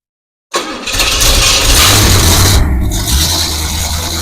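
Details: Camshaft break-in on a fresh engine build, restarted after a shutdown, no temperature gauge: brief crank, catches at once and settles into a strong, even fast idle with no stumbling; a clean, healthy start.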